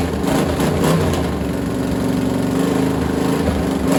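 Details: Freshly assembled small block Chevy for a Model A hot rod, Vortec heads and new cam, first start on a stand. Even steady idle through open headers, no tapping or knocking; 60-70 psi oil pressure, runs healthy.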